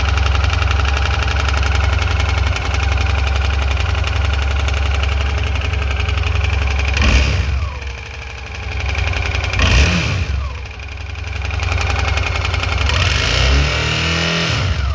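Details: Suzuki V-Strom 650 twin idling with an irregular knocking undertone, then several rev blips; weird engine noise, cause unidentified.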